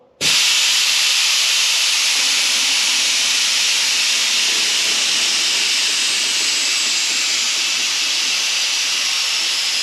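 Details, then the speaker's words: Chopped 1940 Chevy coupe, LS-powered, on air bags: loud steady high hiss starting sharply and continuing as the car lowers, leak audible and visible; air suspension leak. "oh this thing got a leak I can hear it and I can see it"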